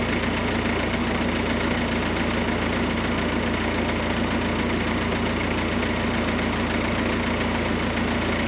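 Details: VW Crafter work van diesel after a DIY repair of its snapped timing belt, with no exhaust fitted: a loud, unmuffled clatter at a steady idle, even and not hunting. The engine runs normally.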